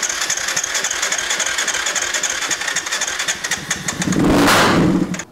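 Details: Quad on test start after fuel added, pump tested working: long uneven cranking with scattered weak firing, then a brief loud catch that quickly dies; hard starting. Piston ruled out as cause since it fired, remaining cause not confirmed.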